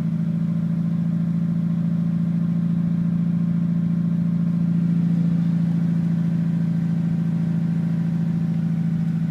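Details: Mitsubishi Evo with bolt-ons, Walbro 255 pump, 1200cc injectors, cold start at 39°F: low, lumpy idle with uneven beat, dropping a cylinder; misfire sets cylinder 1 code; restarts fine if warmed then left 5 minutes.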